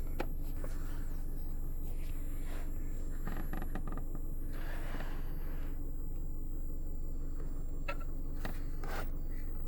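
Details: JBL GTR-1001 car amplifier with only power, ground and remote connected (0-gauge main power/ground, 4-gauge from distribution block), gain under 50%: steady low buzzing hum with faint crackles; noise changes when moved or pressed, and when power/ground wires are moved.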